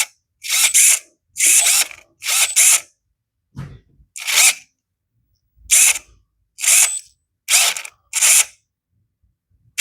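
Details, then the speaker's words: XDRC 945 RC hydraulic excavator with replacement boom servo, boom lever moved to maximum and minimum: short high-pitched servo whirs ending in clean silence, no humming at the endpoints; servo correctly set, sounds good. "And actually this one sounds good. So what I'm listening for, if I take this boom lever and move it maximum and also minimum, If your servo is being overextended, meaning it's pushed to its limit and it can't go anymore and is not set correctly, you'll hear the servo humming or vibrating."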